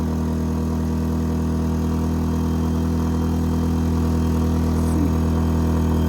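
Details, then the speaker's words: A-iPower SUA1500i 1500W inverter gas generator under heavy load from a heater (stated draw about 12200): a steady, smooth drone that holds one pitch with no surging; normal running under heavy load. "all right that's a full low and I think that pulls about 12200"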